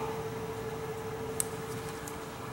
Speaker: called a singing return air vent the vent has two high velocity it's making turbulence and these things are ringing